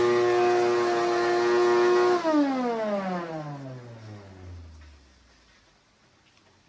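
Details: Shop vac after motor bearing fix and radial fan repair for no suction, tested outside: clean steady motor whine for two seconds, then smooth falling coast-down, no rattle or grind; normal motor run.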